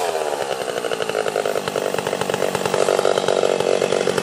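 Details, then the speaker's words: Stihl 031 AV chainsaw, freshly ported (exhaust port roof raised, transfers cleaned up), cutting under load. A high, crisp two-stroke scream holds clean with the pitch barely sagging; running better than ever, like brand new. "man this thing is running better than it ever has i swear to you that sounded it sounds perfect it sounds like brand new"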